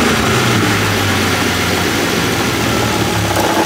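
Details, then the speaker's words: Bentley W12 engine at idle, oil level correct: harsh metallic grinding rattle, long-standing noise owner suspected was alternator or idler pulley. "der Motor hatte immer so ein malendes Geräusch irgendwie wusste niemand so richtig was es ist ich dachte immer das ist ein dager von der Lichtmaschine oder so oder eine Umlenkrolle"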